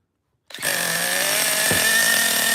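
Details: Schumacher XTR-3E nitro stadium truck on fuel with too much oil (about 16%): a steady high buzz that never climbs or sharpens, running rich and short on revs. A slight air leak is suspected, and the mixture will be leaned out.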